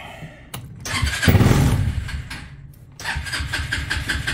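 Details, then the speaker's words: Trailmaster Challenger 300 go-kart side-by-side single-cylinder, after replacing broken carburetor that made it die at stops: cranks, catches, quick steady fast idle that holds without stalling; rpm high but no longer dies. "i feel like the rpm is right it's going fast but it didn't die so that's a good start"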